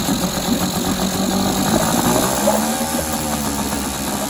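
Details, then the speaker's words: Small jon-boat outboard with only forward and neutral, run after its dirty carburetor was taken apart and cleaned; a steady, even buzzing idle with no stumbles or misses, smooth and healthy. "Looks good, sounds good."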